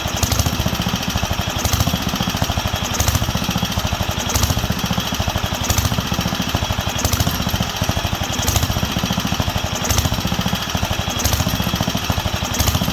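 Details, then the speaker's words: Wisconsin AENL single-cylinder barn-find engine on its first run in 20+ years, after restoring spark and cleaning the carb. Putter rises and falls about every 1.5 s. Surging; owner wonders about a failing condenser but believes it is fuel, as cutting fuel worsens it. "i don't know if it's just the condenser is going out and it's causing chaos or what but the way it's surging is fuel because when i cut the fuel it obviously doesn't like it"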